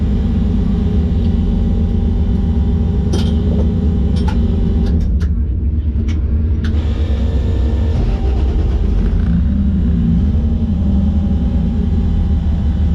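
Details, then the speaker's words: Drag car at the track, right after a burnout that felt fine; loud, rough, lumpy idle with uneven beats, as if one cylinder is dead, persisting after backing off the line; misfire, cause not confirmed. "during the burnout felt fine I did the burnout normally but then after I came out of the burnout I started to feel like a misfire so I backed off the line"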